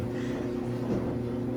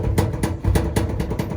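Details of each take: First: Samsung dryer after a repair to cure a thumping noise: quiet, even drum hum with only faint, irregular light bumps and no heavy rhythmic thumping; runs normally after repair. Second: Samsung dryer, unplugged, with the drum turned by hand: heavy, dull, uneven thumps about four a second, caused by the drum felt seal having come off and unbalancing the drum.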